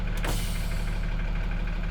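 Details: School bus being converted to an RV, in gear with the brake released and no accelerator applied: steady, deep diesel idle with a constant low drone and a brief hiss near the start. The engine idles evenly and sounds normal.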